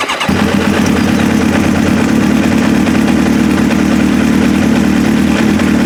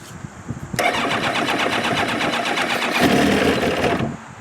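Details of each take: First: Restart of a 2002 Kawasaki ZX7R after a carb service to clear clogged pilot jets, previously hard to start and wouldn't idle without choke: on choke it fires at once and holds a steady, even idle. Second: 2002 Kawasaki ZX7R, hard to start and won't idle without choke: long uneven starter cranking for about three seconds without catching, even with choke on; fuel starvation from clogged carb pilot jets, worse than before, prior to carb service.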